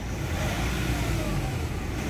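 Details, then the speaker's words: Nissan Calibre after treatment for throttle delay and low power: engine picks up promptly from about 1,000–2,000 rpm without needing 3,000, a full steady climbing drone; responsive, healthy pull. "Hindi mo na kailangan paabuti ng 3,000 bago siya mag-RPM ng malakas."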